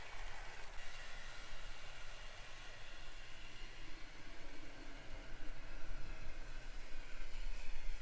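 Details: Serviced 1950s Olympic Express HO B&O GP7 diesel, formerly seized motor freed and oiled, wheels cleaned, pulling an assembled train: even whirr and soft rail rumble, no catching, grinding or stalling; normal running under load.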